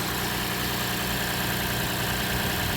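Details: 2006 Lexus IS250 AWD after fixing a no-start, no-crank, no-power-to-ECU fault, just started after battery disconnect with security light still flashing: steady even idle hum, no misses, knocks or stumbles; normal idle.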